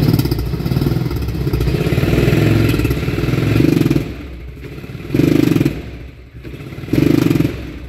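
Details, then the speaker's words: 1999 Polaris Ranger 500 6x6 with extended cranking and backfiring at wide open throttle: light throttle drives fine, but each wide-open stab gives a short rev rise that falls flat and stumbles with loss of power (about 5–10 mph); worn camshaft. "if I do light throttle I could drive this around and I've been using it but if I do wide open it's just stumbling loss of power"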